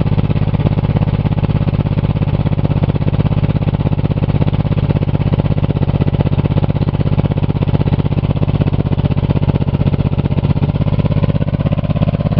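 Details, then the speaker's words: Buick 3.8 3800 V6 already run with a connecting rod removed and little oil, recranked after cooling: revs high at once, then heavy deep clatter about three times a second; another rod thrown, bottom end destroyed. "oh oh oh oh that rev to the Moon right away sound like it threw another Rod you hear I heard another cylinder d"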